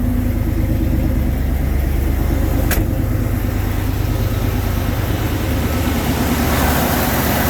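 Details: 1990 Ford F-350 work truck, 5.8L 351 gas V8, 5-speed manual in neutral, 105,000 miles, plow-equipped; cold start settling into a deep, steady rumble, firing evenly with no misses, knocks or ticks: normal healthy cold idle.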